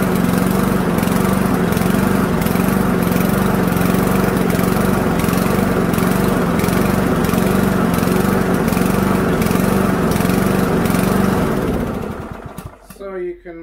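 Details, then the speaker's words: Toro mower with Toro/Loncin 159cc TXP engine (Honda GCV clone), warmed up, before trying a spark plug change: engine rises and falls in a steady hunting rhythm, swells a few seconds apart, then shuts down; engine surging. "can most definitely hear a surge um in this motor"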